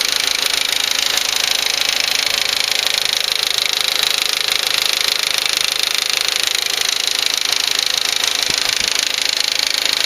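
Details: 2004 VW Passat 1.8T GLS at idle: fast, very regular light ticking, about three per second, from the rear of the engine area. It comes and goes and is worse at startup; a lifter is suspected, unconfirmed.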